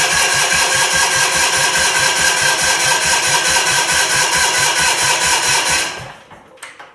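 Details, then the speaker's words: 1979 Bolens HT23 (model 2389) hydrostatic garden tractor, Kohler K582 flat-twin: steady cranking about five strokes a second that never catches, then stops; sluggish turnover likely from a weak two-year-old battery; battery then boost-charged. "Even though this battery is only 2 years old, it seemed to be a little bit weak."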